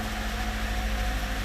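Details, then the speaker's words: 2007 Ford Focus after tune-up with new spark plugs, coil boots and springs; smooth, even idle with steady low hum, no skips or roughness; runs just fine. "we'll start it up and see how it sounds see how it runs after we change the spark plugs runs just fine"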